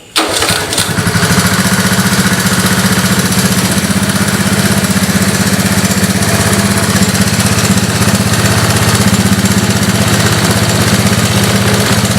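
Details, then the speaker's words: Honda ATC 185s after carburetor replacement: fires up at once and settles into a steady single-cylinder thump at idle, no stumbling or dying; no more black smoke or flooding, normal idle. "runs really good no more black smoke it's not flooding out anymore so it's a good sign"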